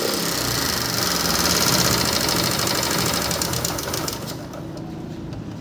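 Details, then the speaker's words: Motorcycle that won't rev or pull under load: busy, uneven idle with a raspy, hissy edge, the sound coming out of the air cleaner instead of the silencer; rough running, cause not yet found. "आपने इसी का जो है वह sound भी सुना और जो है इसका आवाज़ बहुत ही खराब है और ये रेस भी नहीं ले रही और जो आवाज़ है जैसे की एयर कैलेंडर से जो है वो आवाज़ साउंड निकल रही है"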